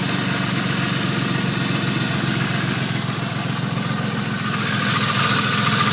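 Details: 1989 Cherokee idling with a steady, deep knock about four per second beating under the exhaust note; suspected rod knock, not confirmed.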